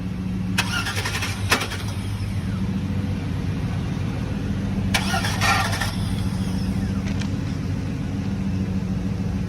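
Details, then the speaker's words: 2003 GMC 2500 van (auction lot 29), reportedly running before, cranked with a jump box: starter grinds steadily with a couple of brief sputters but never catches. Crank, no start. "Said it was running, but that's all we're able to get it to do. It almost wants to fire up, but couldn't get it to totally engage."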